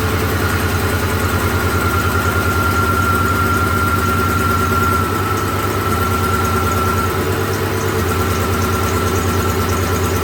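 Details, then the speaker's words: 2007 Ford F-150 4.6 V8 with a flashing MIL and P0302 has a rough, lumpy idle with an irregular stumble. Unplugging the number 2 injector made no difference, isolating the dead cylinder to number 2. "so because it made no difference when I unplugged number two injector that kind of proves that number two is not running"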